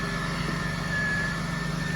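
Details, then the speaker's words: 2003 Pontiac Bonneville, 180,000 miles, recently fitted with a new coil and fresh GM coolant, idling: steady, even low hum with a faint constant whine and no stumble or miss; runs perfect, normal idle. "So I got a new coil on here and the car runs perfect."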